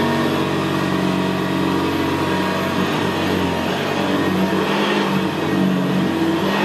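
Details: 1975 Hoover Senior Ranger U4002 vintage upright vacuum on carpet: quiet, steady motor hum with a low gravelly brushroll rumble, more audible where carpet is squashed down; typical of the Ranger. Normal, healthy running.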